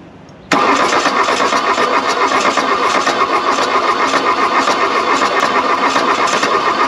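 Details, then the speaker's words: VW Rabbit diesel abandoned 30+ years in woods, cold at 40°F after glow plugs, glow plugs likely burnt: loud steady starter cranking about four beats a second with brief uneven catch as a cylinder kicks; turns over but won't start. "i'm telling you let's burn up a starter make this happen that was a cylinder kicking off"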